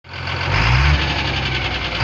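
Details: Cummins diesel settling into idle: dull, repeating knock under the clatter, traced to newly fitted connecting rod small-end bushings machined for new piston pins without proper knowledge.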